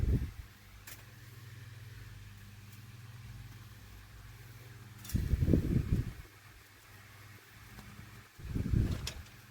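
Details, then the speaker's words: 1988-89 Lasko 9" desk fan model 2154 oscillating after the oscillation gearbox was modified: steady low hum with a gentle swell each sweep. It runs much smoother than before, when the oscillation made the motor struggle to keep pace. "as I'm hearing it, it actually runs a lot more smoother than what it did before."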